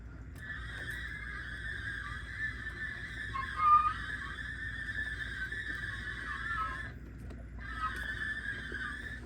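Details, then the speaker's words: Torque converter for the 4L60E transmission of a 2001 GMC Sierra 5.3L 4x4, spun by hand after transmission rebuild: steady high layered whirring instead of smooth quiet rotation, a noisy converter, even worse when installed in the truck. "And it doesn't sound right at all when you rotate it. And you could imagine what it sounded like in the vehicle. It was even worse in the vehicle."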